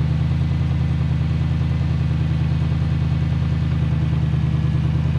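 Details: Old Lexus LS430 V8 test car with the exhaust cut off: deep, even idle booms out loud and raw with no muffling; the exhaust flap fails to move from the up position when started.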